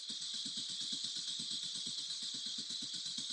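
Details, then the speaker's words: 2014 Chevrolet Cruze LT 1.4L turbo with intermittent stalling and no codes: starter cranks in steady even pulses but never catches; coil command present, so no fuel suspected; crank no start. "so she's firing the coils and she's a noar that means we got to have no fuel"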